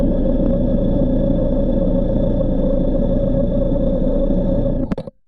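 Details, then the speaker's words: Porsche 944 engine, stethoscope along the oil pan base: even steady low rumble, no knock or variance across the four cylinders; normal bottom end, though some driveline bearing noise (pilot or torque tube bearing) noted. "listening along the base of the oil pan no sound variances were observed across the four cylinders"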